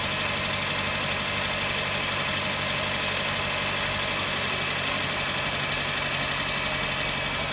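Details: Toyota Camry cold start: cold idle with a light, irregular metallic tapping about four times a second over a busy top end; engine knock on cold start, cause unknown.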